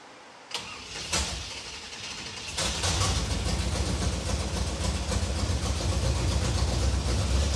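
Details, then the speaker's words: Engine after tightening a loose, leaking fuel filter connection that had let the mechanical fuel pump suck air instead of gas; it cranks briefly, catches and settles into a steady, even idle with a firm low rumble. It's running and healthy after the repair. "alive it's alive it's victory"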